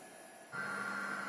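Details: Chinese Yaskawa Sigma 2-style servo with LinuxCNC PID tuning, Mesa encoder feedback, during feed motion: steady high whine over a low hum at constant pitch; annoying servo noise, cause unknown, owner still tuning.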